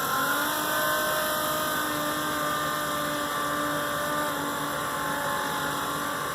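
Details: RV macerator pump emptying black and grey holding tanks through a hose into a household toilet: steady whirring motor tone with even pitch and slight churning texture as it chews debris; normal running.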